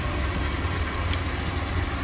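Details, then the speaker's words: Petrol motorhome engine restarted after a parking-lot fix for a bad misfire: even, low idle rumble, with the earlier ticking gone and running much smoother; normal idle. "Instantly better, I can hear it. See the difference in how much smoother this is?"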